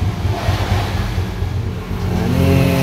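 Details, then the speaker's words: Honda Karisma/Supra 125 single-cylinder, first start after a power upgrade and reassembly (valves checked against piston), Shogun SP exhaust: soft, even putter rising slightly in revs, no ticking or knocking; smooth, healthy normal idle. "Nah, ini sudah menyala ya, normal saja. Suaranya halus, normal saja."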